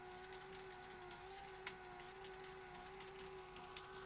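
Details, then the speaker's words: Sony SL-HF950 SuperBeta Betamax during picture search while rewinding: wavering tape-transport whine with ticks and squealing as tape snags on a head, then stalls; capstan servo problems, tape path cleaning next. "The tape is snagging on that head. Very uneven. Oh, doesn't want to play. So, did you hear that squealing? And it's stalling now."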